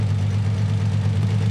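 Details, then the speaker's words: Nissan 300ZX (Z32) idling rough, with a low uneven hum and slow throttle response; one cylinder (number two) is misfiring from a failed, open-circuit fuel injector. "you can kind of hear the engine sounds rough and it's also slow to respond to the throttle"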